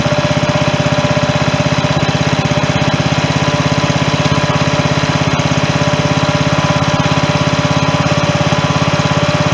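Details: 16.5 hp Briggs & Stratton engine transplanted into a John Deere mower in place of its 15 hp Kohler, on temporary wiring; steady, even putter at a constant pitch with no misses. It idles smoothly, though the magneto/charging wiring is still unfinished.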